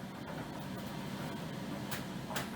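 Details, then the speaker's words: Hotpoint Aquarius condenser tumble dryer running with damp clothes after maintenance (water emptied, filter and condenser cleaned): quiet, steady low hum of drum and fan turning evenly, no scraping or knocking; error lights cleared, running normally. "Then we can turn it on and start drying. No more error messages, no more flashing lights. Absolutely brilliant."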